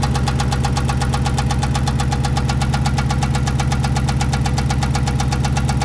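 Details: 5.7L Hemi V8 idling with a steady hard knock in time with the engine and an uneven stumbling note, misfire in cylinder 8; owner wonders if rod knock, spun bearing or cam and lifters. Cause not confirmed.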